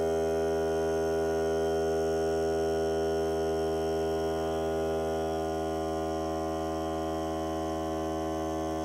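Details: Hart cordless air compressor during break-in run on a fully charged battery (30 minutes or until the battery dies), pressure around 30, hose connected; steady even motor hum, constant pitch, no hiss or stumble, normal running under load.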